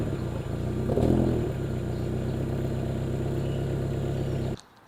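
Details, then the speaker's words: 1990 Honda Civic ED with a built D16, Garrett turbo and EFI, first start after sitting about four years: it fires with a brief rev, then idles rough and rich, likely from very old fuel. "all right so it actually starts it's so good it's running really rough it's probably because the fuel is so old"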